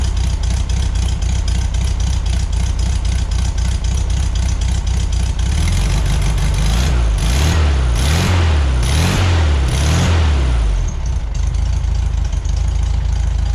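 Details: 1973 VW Beetle flat-four, new remanufactured Bosch 034 distributor: even lumpy idle, quick throttle blips rising and falling cleanly; healthy.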